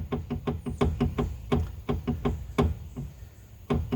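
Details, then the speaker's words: Front stabilizer bar rocked by hand: sharp hollow clunks in uneven bursts, passenger-side sway bar bushing missing nearly all its rubber, matching the noise heard while driving; driver side also worn, both to be replaced. "this one's kind of missing the whole rubber bushing and I can man that sounds like the noise that I was hearing when I'm"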